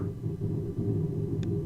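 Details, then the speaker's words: Audio-Technica AT2020 microphone with 48V phantom power placed directly on top of a loud computer: steady low hum with a fluttering buzz, panels vibrating against running fans; the computer case rattles. "I noticed it was because the whole setup here rattles because of the computer, if you can imagine what it would be like putting it directly on top of the computer."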